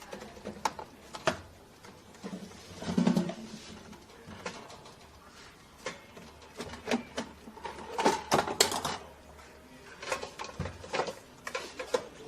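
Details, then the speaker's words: Electrolux EAF30 air fryer switched off after a long heat-up: irregular scraping and ticking as the fan spins down, the mesh screen softened by the overheated heating element flexing into the fan. "essa tela quando a resistência superaquece ela fica flexível essa tela e então ela pega na ventoinha tá"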